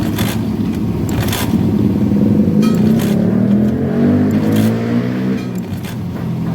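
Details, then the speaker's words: Honda Beat FI that won't start, ignition wired directly and fuel pump humming, kick-start cranking: rough, uneven churning with no firing; no fuel mist from the injector, injector needs replacing. "tidak ada. tidak keluar di sini saja tidak keluar bagaimana motor ini mau hidup berarti ini injektornya harus ganti."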